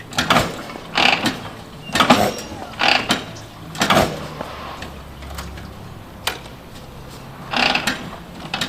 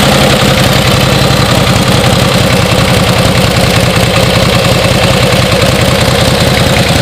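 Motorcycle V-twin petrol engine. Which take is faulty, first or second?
first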